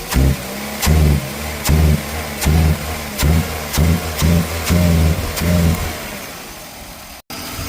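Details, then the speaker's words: 2001 Toyota Corolla, recently serviced, not accelerating: quick throttle snaps, each rev rising dull and flattening early instead of pulling crisply; loss of power caused by a dirty mass airflow sensor, fixed without parts. "So we got a faulty, not even faulty, we got a dirty mass airflow was causing this vehicle to lose power."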